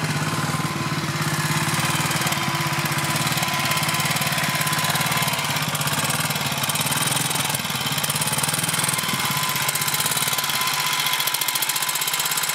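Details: BSA M20 single-cylinder motorcycle: single thumps at a fast steady idle with a faint tinny clatter that stops and returns intermittently, hard to hear; cause not identified.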